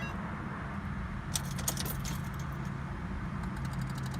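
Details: Ford Fusion that died suddenly while getting gas, retried after sitting 10-15 minutes with battery light on: key rattle, then a quick run of fast light clicks with no cranking; no start, cause unconfirmed, battery suspected.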